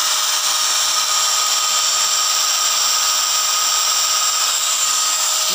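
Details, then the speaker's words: Small angle grinder that crackled from an armature fault, after scraping the armature with a tool made from a bicycle spoke: steady high whine and hiss, no crackle, running normally. "Baiklah, teman-teman. Suaranya sekarang normal, bagus."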